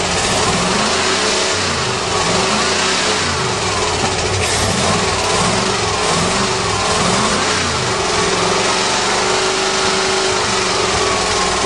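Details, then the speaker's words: 1935 Mercedes stored seven years: uneven, lumpy running with stumbling beat wandering as revs change, smoky; seems to run on only four or five cylinders, spark plugs suspected, cause unconfirmed. "like it's only running on about four or five cylinders yeah detective ki what's wrong"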